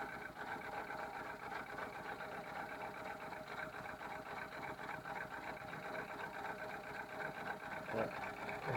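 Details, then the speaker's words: 1999 VW Polo 6N1 petrol at idle: busy, uneven stumbling clatter; new head gasket, injector 2, throttle body, HT leads, coolant sensor tried; sooty plugs, low compression on cylinders 2 and 3. "hi everyone hello 6n1 think we're terrible rough idle help we've done the head gasket change the oil obviously tried replacing indexing number two completely new throttle body new HT leads kind of our wits end"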